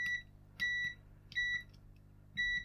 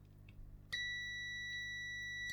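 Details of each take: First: Bush DAB radio that won't power on, power button tested with multimeter continuity: short beeps sound only on some presses, about four in three seconds, with no continuous beep when held; intermittent switch contact. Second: Bush DAB radio that won't power on, button tested with a multimeter on continuity: a clean, steady high beep holds without dropouts, so this switch closes properly, unlike the faulty button.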